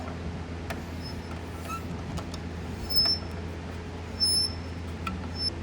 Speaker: that noise is obviously annoying and makes you feel like there's something wrong with the bike we're going to go ahead and look at that so more often than not it is caused by the brake pad